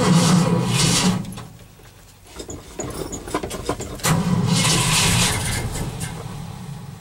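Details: Cold start after an overnight low of -11 and 0 at start: two long cranking bursts with a pause, starter turning it over but never catching; owner suspects flooding, battery possibly weak; cranks, no start.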